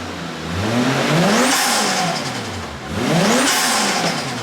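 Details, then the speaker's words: Toyota JZX100 turbo engine after replacing failed turbo manifold gasket and refitting intercooler piping, warmed briefly then revved; two clean blips, no ticking, puffing or whine; boosting properly, normal revving. "It was boosting properly, exactly how I wanted it to boost. No whining, no nothing."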